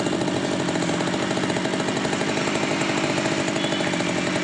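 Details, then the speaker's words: Stihl two-stroke grass trimmer that would not start after 100 pulls, retested after carburetor was checked, air filter not yet refitted; strong steady buzz with even firing, no misses or surging; running normally. "Ini kita tes kembali. Hidup normal enggak ada masalah."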